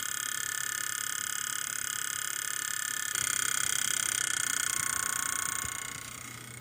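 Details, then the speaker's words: 2008 Hitachi Ultrastar 1TB hard drive spun up: steady high whine with a raspy, uneven warble, from a damaged spindle bearing that stops it working properly. "co my tu mamy problemy z łożyskiem na pewno"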